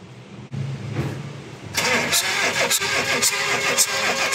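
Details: Chevrolet Spark that will not start after overheating, with fuel and spark present and oil found in the head: starter spins about three to four beats a second unevenly, never catching; blown head gasket, low compression, overhaul needed.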